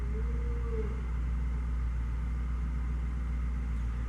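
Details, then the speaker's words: 2005 BMW 645Ci E64 with N62 engine after fixing a dead misfire from a melted ignition coil: low, smooth idle rumble with an even beat, no dips or shakes; idling cleanly. "So far it feels pretty good. Nice and smooth."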